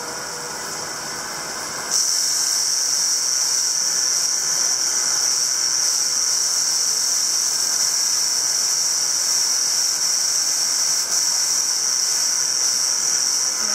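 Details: CycleOps Supermagneto Pro trainer in resistance mode 2 (Road) making an intermittent grinding noise: after two seconds a steady shrill whir with rough hiss sets in and holds, with no clear cause.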